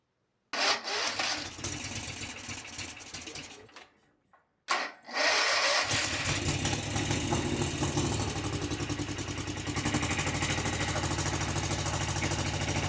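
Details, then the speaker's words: Kawasaki FS651S twin on a high-hour mower, after valve lash set, everything torqued to spec, plug refitted: fires, dies after seconds, restarts with uneven lumpy beat, smoking heavily; owner suspects internal damage such as a piston ring, unconfirmed. "Uh well, there's definitely still something going on with it. Not sure what is going on with it, but uh it is running, driving, and smoking like crazy. My guess is something's damaged in it."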